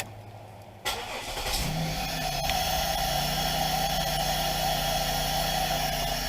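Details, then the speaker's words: 2000 Pontiac Bonneville after ignition switch replacement: quick crank, engine catches at once and idles smoothly; tapping the new switch no longer cuts it out, a confirmed fix for the intermittent stalling. "just tap on it slightly and you can see your car still running good so anyway that's a confirmed fix on this"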